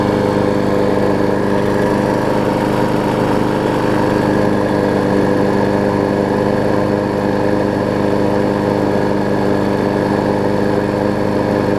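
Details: Six-horsepower Quantum-type Briggs single-cylinder, newly mounted from a Murray onto a Craftsman deck with the blade on. A steady, even, very quiet drone at constant speed with no misses, knocks or surging; it runs good.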